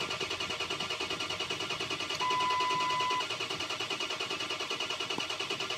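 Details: Ford 6.0 Powerstroke diesel, FICM at 48 V with sync present: steady starter cranking about three compressions a second, no firing; crank no start because ICP built under 400 psi, 500 psi needed to start.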